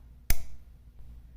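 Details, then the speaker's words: Mamiya M645 camera shutter solenoid clicking repeatedly after 2, 4 and 8 second exposures: a sharp click, then a fainter one, because the switch arm rests on the contacts with no gap. The fault also drained the battery overnight. "there's supposed to be a tiny itty little little bit of space in between them right here and if there's not if if this arm on top here is sitting on them you'll hear that clicking noise"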